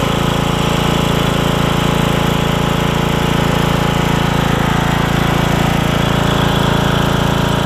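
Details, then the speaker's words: Briggs and Stratton single-cylinder riding mower engine with new HiPA carburetor, blades spinning for testing: steady, even thump at about four beats a second, holding speed cleanly under load; normal running under load. "And I'll show you with the blades on, because I had to test the blades out too while I was at it."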